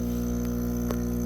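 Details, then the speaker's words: Eco Plus fishroom air pump with four ports open, cranked to full airflow: steady loud electric buzz with firm low hum, no pulsing or rattles; normal operation, just noisy at full airflow. "So that's the Eco Plus. A little bit noisy already. And if you crank the air, you can really hear how noisy it"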